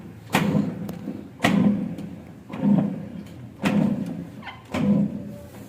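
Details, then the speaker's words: Top-load washing machine (LG-tagged) with a sound problem. A heavy dull thump about once a second as the drum turns, each followed by a short rumble; the clutch assembly is worn out. "इसमें problem है actually क्या? इसका जो clutch assembly हम लोग बोलते हैं। वह क्लच असेंबली जो है वह खराब हो गया है।"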